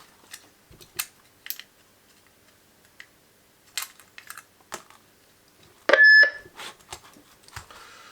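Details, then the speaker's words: Replacement microphone temporarily tack-wired into a Cobra 21 LTD CB radio: handling clicks, then a short sharp high squeal when keyed, a feedback howl showing the mic now works. "Right, we got a howl, so that's good enough. It looks like we've finally got a working microphone, thank God, after all that messing about."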